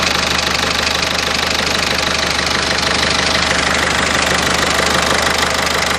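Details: 1.6 HDi engine: sharp, regular knocking about three per second over a steady idle, staying even; internal knock, cause undetermined.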